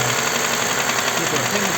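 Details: Toyota Highlander U50 3.5 2GR-FKS, 93,000 km: hard dull knocking low in block, heard from the oil pan, over rough idle; dealer said hydraulic lifters, mechanics suspect connecting rod, knocking when revs raised.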